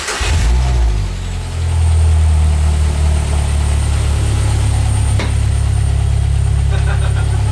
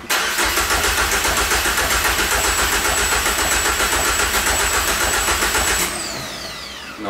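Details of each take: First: Peugeot 205 GTI with an RC engine swap, first start after its fuel pump was hooked up, the manifold smoking slightly. A steady low drone holds even, then a few clean throttle blips rise and fall; it runs smoothly. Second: Peugeot 205 GTI engine swap, fuel pump wired in temporarily, no fuel pressure; starter cranks evenly three or four beats a second for six seconds, never catches; crank no-start, no fuel pressure.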